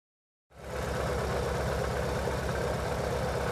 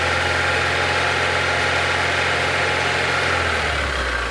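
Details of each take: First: Chevy/Corsa/Tornado engine shaking and losing power, spark seen jumping from plug wires: uneven, lumpy idle of about four pulses a second that keeps stumbling. Misfire from leaking spark plug wires. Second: Chevrolet Chevy/Corsa/Tornado engine after replacing leaking spark plug wires: steady even idle, smooth low hum, no misfire stumble or shake, noticeably calmer; normal idle.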